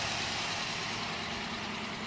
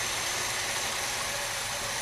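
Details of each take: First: 1979 Cutlass, first start of a swapped-in 403 V8. Runs smooth with a light, quick lifter tick about three per second at idle. Lifters believed collapsed from water and cranking; the tick is already getting quieter. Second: 1979 Cutlass 403 V8 with rebuilt Quadrajet carb, first start after the swap, engine cold. Settles into a steady, even idle and the collapsed-lifter tick has quieted. Runs well, though idle mixture may need adjustment.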